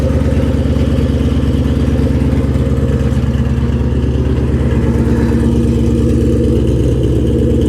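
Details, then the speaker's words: Salvage Mustang (Shelby GT500) V8 on jump start, no coolant so run briefly: deep steady V8 burble with slight rev rise, no clatter or misfire, healthy strong-running engine. "Oh man, it sounds so damn good."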